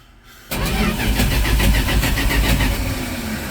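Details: 1983 Dodge D150, suddenly won't start: starter cranks steadily about four beats a second but never catches; spark from coil and fuel confirmed, owner suspects poorly fitting coil wire; crank no start.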